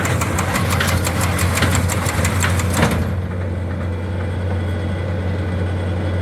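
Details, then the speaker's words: Old square hay baler behind a tractor, rebaling loose hay: tractor drones while fast rhythmic baler clacking runs, then cuts out abruptly; the shear bolt broke and no twine appears to have been tied. "so we broke that sh bolt and I don't have anymore and I don't think this was tying anywhere I don't see any strings"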